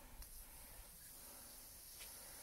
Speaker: so as you can hear the air's escaping through the hole it's quite a large hole